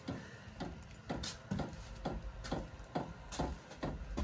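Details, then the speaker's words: Sharp, even clicks about twice a second over a quiet background from the dosing fuel pump of a new VEVOR 8 kW diesel heater at first start in an enclosed trailer; normal pumping. "I'm making a little noise now. Sounds like the fuel pump's going."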